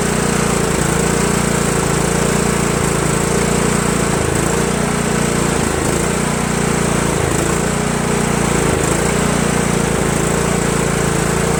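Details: Craftsman LT1000 lawn tractor single-cylinder engine, previously surging, now fed by a single straight fuel line from tank to carburetor: holds a steady, even beat with only slight dips, no surging; probably a fuel delivery problem.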